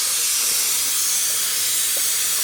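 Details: Engine off, intake pressurized with a cheap boost leak tester: steady loud airy hiss with no rhythm; air escaping at the intake manifold, likely injector O-rings.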